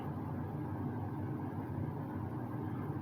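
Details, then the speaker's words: 2006 Lasko 3733 box fan, restored and serviced, on medium speed giving a gentle breeze: soft steady whoosh of moving air with a low even hum and no ticking or rubbing; normal smooth running. "go ahead we'll knock it up to medium putting out a nice gentle breeze"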